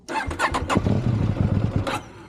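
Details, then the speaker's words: High-mileage KTM 790 Adventure motorcycle, full tank with double the recommended Redex additive, hard to start: short cranking bursts, then ragged chuffing that won't settle into a clean idle; owner suspects one cylinder not firing, possibly fixed by a spark plug. "And it want to have a hissy fit. But third time, it will fire."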